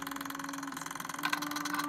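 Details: Realistic Model 999 reel-to-reel player/recorder: steady low motor hum with a quick, even flutter; the idler motor runs smoothly in the correct direction, as it should, unlike its faulty wrong-direction running.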